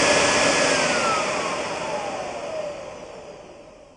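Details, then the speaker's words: Bissell vacuum cleaner bare motor and impeller, cover off: high loud whine sliding down in pitch and fading over four seconds; normal run-down, motor warm after running. "so yeah interesting I'm gonna unplug it now I guess let's put this thing back together it's kind of warm after you run it"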